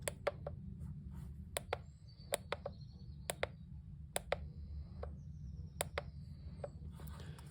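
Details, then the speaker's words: Cheap battery tire inflator set to 32, powered on with the mic close: only sharp, uneven clicks about one or two a second and no pumping. "It sort of clicks and does something."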